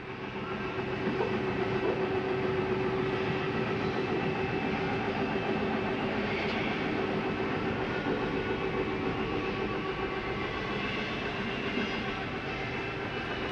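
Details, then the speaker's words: 2022 Catalina 323BHDSCK travel trailer, slide number two retracting: steady electric motor drone with gear hum, even throughout; brief metal banging as the slide stops itself coming in too far is normal, nothing breaking. "it's okay to hear that for a second you're not breaking anything nothing just sounds like metal banging against each other what is the slide keeping itself from coming in too far"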